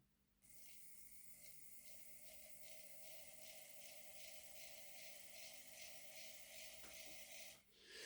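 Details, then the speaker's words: Hornby R2178B 0-6-2 Class N2 model locomotive, reported a noisy, inconsistent runner, motor powered free on the bench with wheels off: rough buzzy hum with faint uneven ticking; growly, cause not yet found. "yeah it's a wey growly right"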